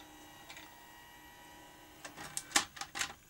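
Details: Grundig 2x4 Super V2000 video recorder after a loading motor drive belt replacement and centring the meander plate on the capstan flywheel: quiet hum, then a brief burst of light clicks as the cassette ejects cleanly, working normally.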